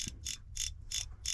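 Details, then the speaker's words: Original Traxxas TRX4 Sport motor, after running through water and the ESC smoked and caught fire, turned by hand: sharp dry evenly spaced clicks about three per second; owner suspects a motor fault made the ESC struggle; clicking. "so I went to the shop and if you turn the motor I don't know if you can hear that but it's making some kind of noise there it is there was the big one hear it hear that"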